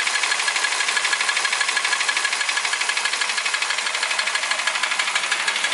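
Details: Toyota Ractis 1.3 2SZ-FE, 6 years, 100,000 km, oil changed every 7–8k km, uses 500–800 g between changes; timing chain, tensioner and guides replaced without effect: fast even tapping about three per second at steady idle, tracking engine speed; internal knock, source undetermined.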